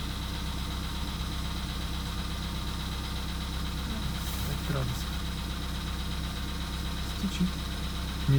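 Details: VW Polo Sedan (CFNA), 102,239 km, cold start at −2.5 °C, oil not fresh: a minute or so after start, a light, fast, steady tapping follows the firing at quiet idle, lasting about two minutes; cause undetermined.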